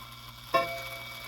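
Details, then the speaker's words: Shanghai 555 clock after cleaning: single sharp metallic strike with harsh, jangly decay instead of clean tone; chime hammers out of adjustment, to be fixed with hammer adjustment tool. "I'll fix that. I'm not worried about that. We'll get that sounding much better with our chime rod, or sorry, our hammer adjustment tool."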